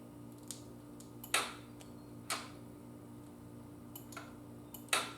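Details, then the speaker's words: Yamaha Virago cafe build no-start checks, side stand up, shifting out of neutral: sharp isolated clicks, four or five over several seconds, over faint hum; safety relay switching properly. "get it back in gear now if you pull the clutch in you'll hear that relay click"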